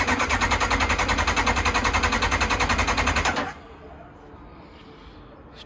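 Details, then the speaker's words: Kawasaki ZX9R that sat outdoors for four years, with a new fuel pump fitted: the starter churns at about 3.5 pulses a second but the engine never fires; fuel is thought not to have reached the carbs yet. "oh so the fuel is probably going to take some time to reach the carbs just to help it a little bit I'm going to try some easy start spray"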